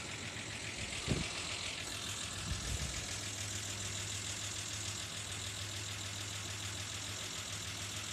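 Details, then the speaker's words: 1987 Ford Ranger 2.9L V6 at idle, oil pressure well under 40 psi versus normal 50: light tick about three to four per second over a steady hum; owner suspects lifters or pushrods, unconfirmed. "I'm getting this terrible tick sitting at well under 40 psi. Normally runs at like 50. You can hear it."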